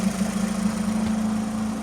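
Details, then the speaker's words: VW Touran, original 2.0 diesel swapped for a 2.0 petrol engine with DSG automatic: smooth, steady idle with an even low hum, no knocks or hunting; normal idle. "Поворот алу бәрі жақсы. Мотор әдемі істеп жатыр."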